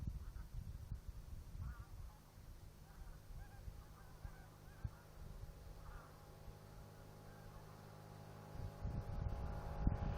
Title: Bremsen Bremsen Quietschen